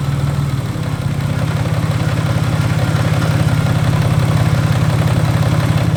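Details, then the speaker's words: Cold idle on a car with an aftermarket clutch, throw-out bearing and aluminum flywheel, after a broken woodruff key. Loud rough idle with heavy clatter about three times a second; owner says not rod knock but suspects the throw-out bearing. "That is not rod knock, it's a throw bearing. It sounds very loud, I don't know why."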